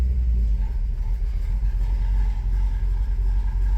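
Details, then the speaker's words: Car with new big-cam engine that made no power: deep, uneven loping rumble with slow lumpy beat, idle dropping from about 1000 to 600 rpm; needs higher-stall converter; lopey idle dropping too low. "down to about 600. Cam sounds cool, but I don't love that."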